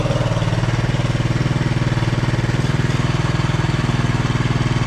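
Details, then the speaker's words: 1967 Honda CT-90, about 2,700 miles, warming up after an oil leak repair and fresh oil: an even, steady putter of a small single at idle with no knocks or misses; no leak appears. "Yeah, so far so good. We would have been leaking by now, so I think it's safe to say we fixed the issue."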